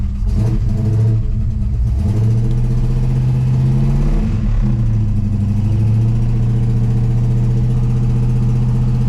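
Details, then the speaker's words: Dukes of Hazzard General Lee Charger with its new big-block V8, oil primed, during cam break-in: a deep, steady rumble held around 1,900–2,000 rpm with occasional throttle blips. It runs on all eight, and ignition timing is still to be sorted. "Sounds like it's running on all 8. We still have some timing that we need to figure out. But we got to break in the cam first."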